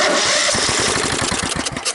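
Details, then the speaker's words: 17.5 hp Kohler engine on a free riding mower left in the weather for years with mouse nesting. First cold-start test, spark plug wires attached, with a squirt of fuel and the carburetor not yet cleaned. Ragged firing pops for about two seconds, then it dies; "it has life". "it has life"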